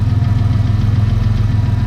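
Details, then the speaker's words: 2000 Camaro 3.8L 3800 turbo V6 at cold-start idle: steady low rumble with a faint, quick, regular lifter tick that comes and goes, mostly fading once warm or with RPM. "It comes and goes. Once it's warmed up, it mostly goes away. And then when you give it RPM, it goes away."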